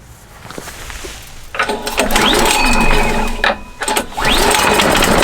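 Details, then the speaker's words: New 2022 Simplicity 10/24 snow thrower, Briggs & Stratton engine, very first cold start at about 3/4 throttle: recoil pull, brief catch, second pull and it runs steady; normal cold start in two pulls. "Pretty impressive that it only started in 2 pulls. I've started a lot of these blowers from brand new, and it's usually 3-4 pulls on most brands, but Briggs & Stratton have really got their carburetors tuned in good."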